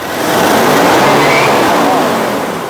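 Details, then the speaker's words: Ford Ranger 3.2 diesel revving with a faint high whistle that rises as boost builds, otherwise quiet at 70 km/h; traced to a leaking engine boost (pressurization) hose, replacement ordered. "a gente descobriu o qu que era na mangueira de pressurização do motor"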